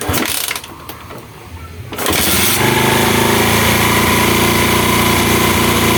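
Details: Honda Mega Pro mono after an air leak was found and the air screw set. After a brief quiet fumble, the single settles into a steady, even idle with no hunting or stumbling.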